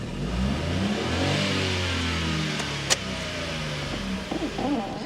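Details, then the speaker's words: 17-year-old Volkswagen Passat with engine management light on, horrendous oil leak and blowing exhaust needing a full system: engine revs up and drops back with an uneven, lumpy note and some rattle underneath; rough running, cause not identified. "the engine management lights on doesn't sound good does it"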